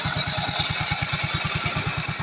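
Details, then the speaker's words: Yamaha Mio Sporty scooter after the starter bendix (one-way clutch) repair: even putter with a steady light whistle and no judder. The earlier dragging is gone and it runs smoothly. "testing natin yung dragging niya nawala na rin smooth na siya tumakbo wala ng dragging"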